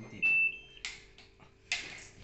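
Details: LG washing machine showing PE error: a few high, sharp beeps in a quiet room as it powers up and flags the error; cause still unknown at this point.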